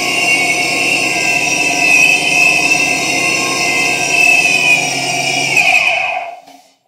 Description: Surprise! Your Vortech V2-SQ Supercharger has a bad bearing!